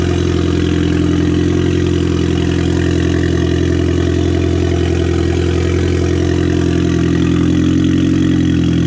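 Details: Audi A4 2.0T FSI, freshly rebuilt with JHM K04-R turbo kit, first startup, cold: steady even idle, smooth low hum, injectors quiet, no squeals or knocks. Normal idle.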